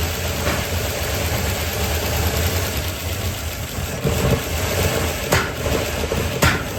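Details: 1972 Chevy C10 small-block V8, first start after rescue with plug wires cleaned up and a better starter fitted: low, wandering, lumpy idle with occasional stumbles. Owner suspects ignition timing, not set exactly; plans to adjust the distributor.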